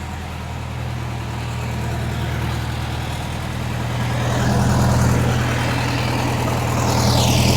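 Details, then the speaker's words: 1961 VW Beetle after timing, tune-up and adjustable pushrod tubes, hot start with no gas: steady even idle with a smooth low beat about four per second, sitting a touch fast. The timing is good but the idle is set slightly high, about to be lowered. "I might drop the idle down just a little bit. It is a bit high. There we go. Um it is a bit high for my liking."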